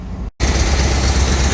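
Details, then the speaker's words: 1970 Chevrolet C20 350 V8, first start in 20 years, now on clean fuel from a can: smoky, deep, lumpy, unsteady idle after a brief dropout; massive vacuum leak noted, needs tuning. "right guys she's smokey but she's running"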